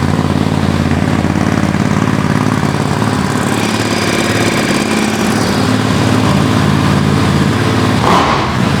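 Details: Ducati Desert X twin after a service with oil change, air filter refit and Arrow decat exhaust, just started in neutral: even loping twin-cylinder beat about two pulses a second holding steady; clean healthy idle.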